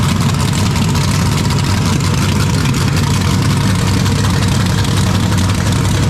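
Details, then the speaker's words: 427ci Dart LS Next 2 race truck V8 on run stand, ls3 heads, solid roller cam, billet crank and rods, twin turbos, cold first start before dyno. Deep, loud, steady rumble through open pipes, firing evenly with no knocks or misses; healthy fresh engine. "i did not expect it to fire up on the first shot man that's crazy"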